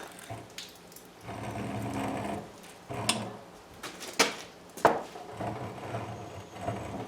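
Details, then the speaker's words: Seized Husqvarna pressure washer engine turned by hand after soaking with Fluid Film: uneven crunchy scraping with sharp clicks as it frees up. Owner hears noise internally and suspects part comes from flywheel rust and debris. "And it's crunchy there. Some of this noise you hear is the flywheel got a bunch of crap on it, but I can hear it internally."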